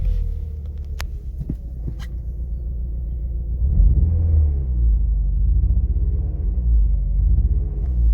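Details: 2000 VW Golf Mk4 GTI 1.8T AGU with a sudden severe misfire through the rev range, rough running, shaking and a strong fuel smell: low rumble with irregular, stumbling beats; the cause is a failed ignition amplifier on the airbox.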